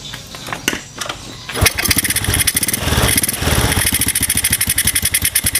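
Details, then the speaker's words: Honda Supra bored to 53 mm with an RVN racing cam and racing valves: it catches and settles into a quick, even popping idle, smooth like stock with no ticking. Only carb-mouth intake air noise is heard. "Oke kang Bro ya bisa didengar sendiri suara mesin halus seperti motor standarnya Supra ya suaranya halus kayak bukan motor b Upan atau motor modifikasian ya"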